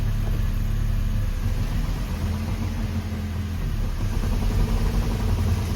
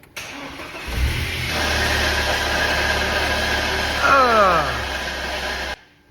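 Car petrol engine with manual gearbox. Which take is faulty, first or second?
second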